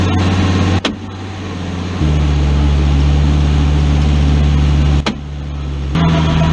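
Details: Low steady drone with a hum that steps up in pitch at each shift while driving; suspected 4L60E transmission or transfer case noise, source not pinned down.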